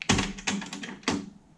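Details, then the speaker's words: Sony TC-RX80ES auto-reverse cassette deck (c.1988) with solenoid-operated mechanism. A large electromagnet gives a sharp clunk, then clicks and a short whir as the two-track play head turntable rotates 180°. Normal auto-reverse head rotation. "which is the um which is the play head spinning round on this turntable"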